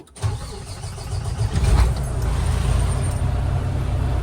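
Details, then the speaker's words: Diesel truck starting on mixed battery chemistry with lithium added (up to 200 A draw without the BMS cutting out), higher resting voltage; short, brisk one-to-two-second crank, then catches and settles into a steady, even idle; healthy start. "I suspect the truck is going to crank very quickly because the natural resting state of the voltage is a little higher now."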